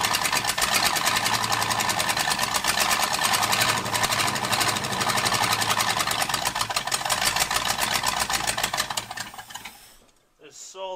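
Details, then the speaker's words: 1978 Ford F150 Ranger Explorer V8, bought flooded (water drained from engine), first start: loud, lumpy, stumbling exhaust, missing cylinder two; a spark plug wire was found missing on number eight. "do you think we have a gallon yet we're straight up missing cylinder two"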